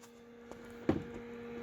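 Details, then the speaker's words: Acer Predator X27 monitor with replacement fluid-dynamic-bearing fan at maximum speed, module at 49 °C: soft, steady low hum with no rattle, ticking or grinding, much quieter and softer than the original fan; normal fan running. "definitely Audible but definitely not as loud as that previous fan like much quieter and not only much quieter it's not it's softer the sound is softer"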